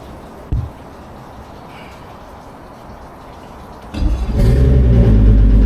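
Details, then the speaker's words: Repowered boat outboard, replacing an old 250HO Etec, that had been sitting a while, restarted after priming the fuel and pushing out air: quiet at first, then catches at about four seconds and settles into a strong, even run; still a bit oily but healthy. "And she's on. Beautiful. She's still going to be a bit oily, but that's all right."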